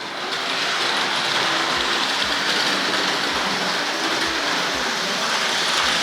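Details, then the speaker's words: Hornby layout running on an R.950 Master Controller. Light metallic clicks and rattles come in uneven bursts over a hissy running noise. The unit's metal wheels and chassis blocks jump and clatter over the points, and it is stickier on the diamond crossing in this direction. "the metal wheels in this and the chassis blocks tend to jump up and down especially on this point that we really tend to clatter on that one"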